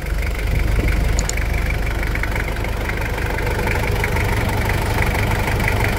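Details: 1997 Toyota Hilux SW4 diesel, after engine and injection pump service, no engine leaks: even diesel clatter at steady idle, no misses, knocks or hunting; normal idle.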